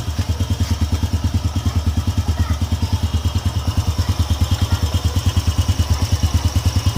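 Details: Honda EX5 Dream single-cylinder engine, which ran rough and loud because of a loose screw, now reassembled with fresh engine oil. It gives an even idle thump of about three beats a second, with no knock or rattle: a normal, healthy idle.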